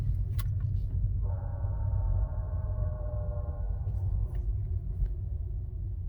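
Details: 2019 Tesla Model 3 Performance, steering turned about 80% right: faint groaning hum rises over low rumble then fades; worn driver-side front wheel hub bearing, replaced under warranty after which noise was gone.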